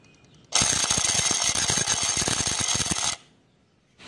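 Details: Skoda Laura auxiliary electric water pump: harsh, dry rattling buzz with fast irregular clicks that cuts off abruptly; pump failing, silent after a genuine replacement pump was fitted.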